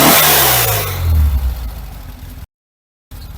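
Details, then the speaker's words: 1974 VW Beetle SunBug flat-four with standard-weight flywheel (replaced the original lightweight one), revving up crisply and dropping back cleanly with no knock or miss; smooth, snappy acceleration, healthy free revving. ">> That is smooth. Snappy acceleration. Very snappy."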